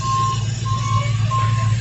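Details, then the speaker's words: 1970 GMC C10 with a freshly swapped 5.3 LS from a 2004 Yukon, 4L60E and stock cam: a deep, steady V8 hum holds even under intermittent high beeping, with no ticks or misses; runs pretty good. "I'm just saying that car runs pretty good for now I guess I mean there's no cam in there so I was expecting it to sound like what it sounded like"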